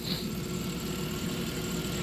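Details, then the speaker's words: 1997 Dodge Grand Caravan SE V6 with 167,000 miles, restarted after being abandoned 4+ years with a used transmission fitted. It idles with a steady, even low hum and no knocks or ticks, sounding normal. "but it looks sounds good seems fine well 167,000 MI it should last"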